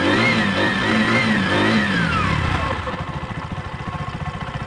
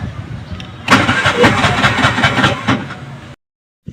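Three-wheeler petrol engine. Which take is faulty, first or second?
second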